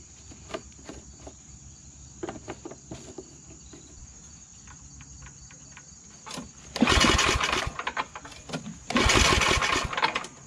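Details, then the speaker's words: MTD Yard Machines snow blower, Tecumseh Snow King 8 HP, after carburetor cleaning: quiet running then two loud swells a couple of seconds apart before dropping back; engine still surging, carburetor replacement planned. "so we cleaned the car but it still kind of surges i think i might try to put a new carburetor in there"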